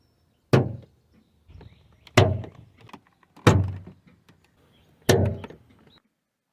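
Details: Toyota Sienna (typically 2004–2006) front door: loud hollow clunks and lighter clicks when opening, from a broken-loose door check stop; fixed by welding and riveting it.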